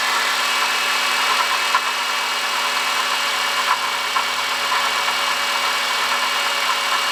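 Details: 2005 Honda Odyssey, 268,167 km: steady idle with constant thin whine and faint rough rumble; worn water pump bearing, noise gone after replacing water pump, thermostat, thermo switch and coolant.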